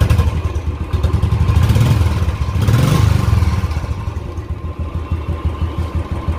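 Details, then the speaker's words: Royal Enfield Classic single-cylinder after hydraulic tappet noise repair; steady idle thump with a couple of throttle blips, no ticking or clatter from the top end, healthy. "तो वो देखिए, वो कड़पड़ कड़पड़ सारी बंद हो चुकी है, इसके अंदर कोई भी कड़पड़ की आवाज़"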